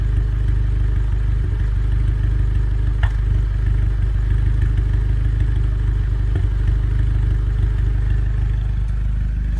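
Deep engine run with an uneven, stumbling beat roughly three times a second and odd clattery pops; a misfire.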